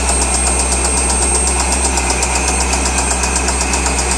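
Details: 2003 Corvette Z06 LS6 V8 at idle: sharp, regular ticking knock about four per second over a steady idle hum, coming from inside the engine; engine knock at idle.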